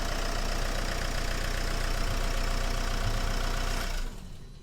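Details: 2010 Renault Megane 1.9 dCi diesel, crank-no-start with P0090, running while testing fuel solenoid valve: even diesel clatter at steady idle, about 200 beats a minute, then clean shutdown; runs normally.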